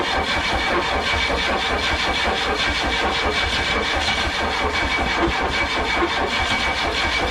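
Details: Chrysler LeBaron with a freshly painted engine, cranked on a borrowed bigger battery: steady starter churning with faint uneven puffs, but it never runs; the distributor was installed 180 degrees off, throwing off the ignition timing.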